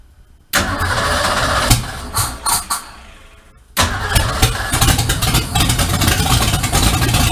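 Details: 1951 Ford F1 with a freshly built EFI engine and MSD 6AL ignition, first start after installation in the truck: the starter turns briefly, a few stumbles follow, then it catches and settles into a steady, even idle, a healthy start.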